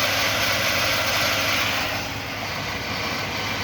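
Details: 2001 Chevrolet Silverado 4.8 L V8 at warm idle: even, hiss-heavy engine-bay sound with no knock; the cold-start piston slap lasts about a minute and goes away once the engine warms.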